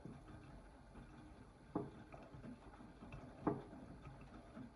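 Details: AEG 8000 washing machine: two sharp hollow knocks about 1.7 s apart over the wash hum as the drum turns slowly, mostly counter-clockwise; vanishes at higher rpm, not the detergent cup, cause unknown.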